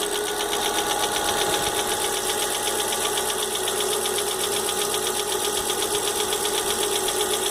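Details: Fox idling with engine noise the owner can't identify. A sharp, even tick-knock of about four per second rides over the engine. Knocking noise, source not pinned down.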